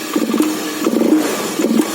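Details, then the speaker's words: Honda Beat fuel-injected scooter, throttle blips: revs climb lazily and barely rise, sluggish response; idle unstable, throttle cable fine, dirty throttle body being checked, TPS reading suspected inaccurate. "Dan di gas pun hanya telat ya, atau lelet. Di gas agak lelet ya."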